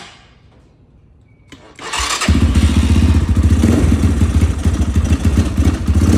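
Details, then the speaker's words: Apollo DB-36 250cc (223cc) Chinese single-cylinder dirt bike, EGR valve removed, just started in neutral: fires after a pause and idles lumpy and uneven; owner suspects the carb needs adjusting. "Oh, there it goes. Oh. Yeah, she's not gonna want to run right now."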